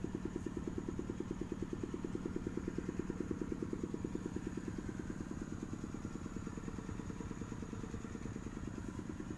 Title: Akibat siel boring air pendingin habis, harus turun mesin